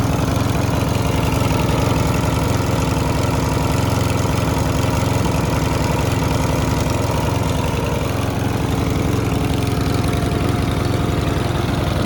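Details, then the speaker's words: Mountfield RV40 150cc 45cm mower: steady even engine beat at constant speed, starts fine, no hunting or surging, so carb work skipped; normal running. "I was going to give this a full service, but considering it's starting fine, it runs, no hunting or surging, I'm not even going to mess about with the carb."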